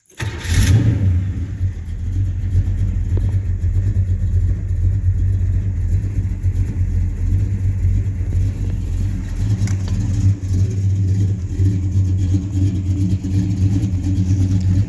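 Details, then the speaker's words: 1967 Chevelle 300, built 4-bolt main engine, forged internals, Melling cam, Edelbrock 650 carb, Pertronix ignition, shorty headers, 2.5in Flowmaster Super 40s with H-pipe, TH350: brief crank, catches into a deep, even V8 burble, no misses or knocks; healthy. "think it's got the so flowmast original 40s under this car with an h-pipe two and a half this sounds pretty good"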